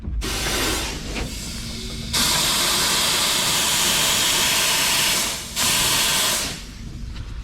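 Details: Ural 4320 logging truck at idle: a loud, sharp hiss of escaping air in long bursts, heard when the brakes are pressed. The leak is in the compressed air system, at a hose or tube joint under the cab.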